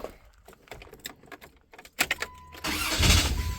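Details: 1993 Dodge Caravan, just after fitting a rebuilt starter: key click, quick crank and prompt catch into a steady run. The start is healthy.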